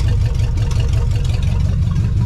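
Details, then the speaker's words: 1975 Chevy Nova, first running in 35 years, after fuel lines, oil change and vacuum caps, warm after about five minutes: deep steady even rumble, idle dropped to about 1000 rpm, about 30 psi oil pressure, no misses or knocks. "she's idling exactly where she wants to be she was up a little bit higher before but now she's knocked down because it's warmed up"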